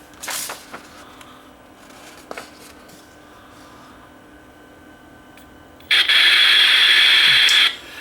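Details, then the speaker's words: Sony FD20 Watchman flat-CRT TV during repair: clicks, then loud steady speaker hiss for two seconds, no picture; suspected power-supply fault, regulator (Q601/Q602/Q603 chain) not working, unconfirmed. "I discerned static I haven't seen it as a picture but I think this regulator super one is not working"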